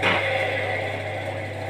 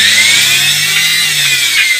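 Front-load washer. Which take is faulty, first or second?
first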